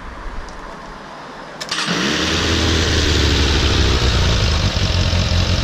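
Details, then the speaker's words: Suzuki Bandit 600 four-carburetor engine, warmed up, before synchronization, measured with a homemade water-tube vacuum gauge. It catches after a brief crank and idles with a steady but slightly lumpy pulse. All four carbs are badly out of sync. "Je krásně vidět, jak první, druhý, třetí, čtvrtý karburátor je úplně špatně seřízený, jo."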